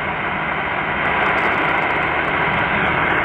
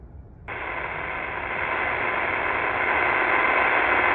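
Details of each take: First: Hash-free supercharged Qodosen SR-286 radio on AM 520 kHz with whip antenna, volume nearly maxed: smooth even hiss with no buzzing, whine or ticking; clean vacant-channel static, no display interference. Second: Qodosen SR-286 radio tuned to vacant 520 AM on the external whip antenna setting: loud steady hiss with faint buzzing, digital hash noise radiated from its own display, rising when a hand covers the display; some units affected, others not.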